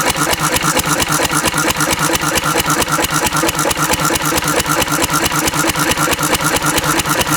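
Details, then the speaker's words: Antique Cushman Cub 3 hp four-stroke throttle-governed stationary engine running on about 90% Zippo lighter fluid: crisp, regular firing pops a bit over two per second, even and unbroken; runs fine. "I'm going to flood it and see but it runs just fine"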